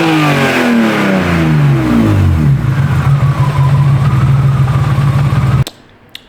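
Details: Project car engine after all three coils, wiring and spark plugs were swapped and a second engine's parts tried with no change: revs up then holds an uneven, stumbling beat of about three and a half pulses a second before cutting off; misfire cause unconfirmed.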